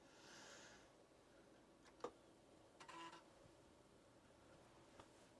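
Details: Samsung SFD-321B drive in a 1581 build, reading a known-good write-protected 1581 demo disc: in a quiet room a sharp click, a brief buzzing head-seek burst, then another click as the directory is read normally.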